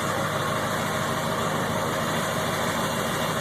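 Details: Ford 7.3 Powerstroke diesel: idle sitting higher than normal and running rough, unsteady lumpy drone, surging in gear; new fuel filter and additive helped only two days, owner suspects ICP sensor or fuel pressure regulator.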